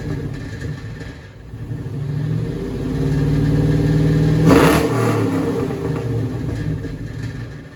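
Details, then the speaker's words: Cadillac V8 with two Dynomax valved chambered mufflers, revved: the note rises and settles with a loose buzzy rattle riding the exhaust; owner blames the muffler valves bouncing, possibly install angle or worn units. "So I don't think I hate it. I don't like the rattling. That gets on my nerves."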